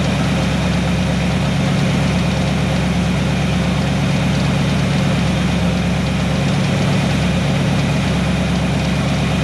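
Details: 1970 Chevy C10 pickup, 327 small block, HEI distributor, manual choke, bad ignition timing: started cold and warming up, steady even low V8 rumble at idle with no misses or knocks.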